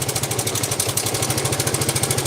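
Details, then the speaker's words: Yamaha Vega ZR motorcycle at idle: a rough, tinny knock on every firing pulse; owner suspects an overly slack cam chain and a rattle at the clutch housing, then the engine died smoking; teardown needed, cause unconfirmed. "jadi tebakan saya untuk sementara ini motor mesti dibelah mesin Masbro yang jelas bunyi kodok tadi di bagian kompling rumah-rumah kompling"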